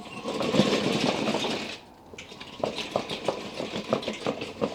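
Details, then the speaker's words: Scratch-built tracked T-1 Terminator battle robot base, first electronics test: irregular metallic clatter, about three knocks a second, rattling with the tracks, mostly from bare aluminium front drive wheels despite absorption material under electronics; owner considers adding rubber rims to quieten them. "most of the noise is actually coming from the aluminium drive wheels at the front i thought maybe i might put some rubber around the edge of the wheels might make it a little bit quieter"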